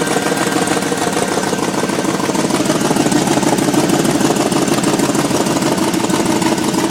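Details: 2003 GMC Yukon, no check engine light: engine runs with a dense, rough exhaust rumble and an uneven pulsing about three times a second; owner unsure of the source of the strange exhaust sound.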